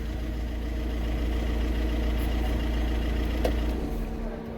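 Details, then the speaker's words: VW Vento turbo diesel after injector knock fix: steady, even idle with low hum, no knocking; the earlier tractor-like rattle, worst with AC on, is gone. "ਜਿਵੇਂ ਪਹਿਲਾਂ ਹੀ ਕੜ ਕੜ ਕੜ ਕੜ tractor ਵਰਗੀ ਆਵਾਜ ਸੀ ਉਹ ਸਹੀ ਹੋ ਗਈ ਆ"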